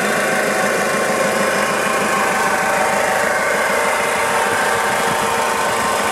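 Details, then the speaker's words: Warm 2000 Toyota Hilux 5L diesel idling, timing belt and water pump already replaced; light uneven rattle riding on each firing beat, like a bearing, with a faint whirr; engine responsive with no power loss; source unknown. "it does seem in time with the engine you can almost hear like a rattly bearing noise and then there's also sort of a wizzy kind of a noise it doesn't sound correct either"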